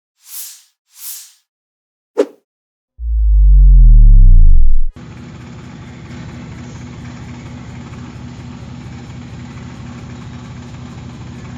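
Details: Toyota 1ZZ four-cylinder (video title also reads 55700), a contract engine on a test stand, first start with compression check: after some unrelated noises it settles into a smooth, even low idle with steady firing and no knocks or misfires.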